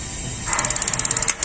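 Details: Magnet-type gas water heater that had been banging on ignition, after replacing the solenoid and tightening the bolts: quick, even clicks about a dozen a second, then a soft whoomp as the burner lights. Normal ignition, no bang.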